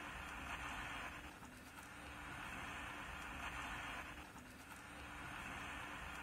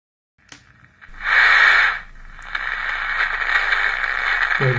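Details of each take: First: 1970s Emperor AIE-641 single-battery pocket radio, sold as non-working, plays very quietly: only a faint hiss and low hum from the speaker with no real sound; an open coupling capacitor is starving the output stage, and a small repair restored normal volume. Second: Emperor AIE-641 radio after repair of very quiet audio: clear hiss and sound now come from the speaker at a normal, steady level; radio audio output working normally again.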